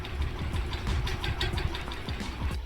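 Low rhythmic knocking and rattle repeating several times a second as the fan turns; the top mount bolt is loose and the fan wobbles.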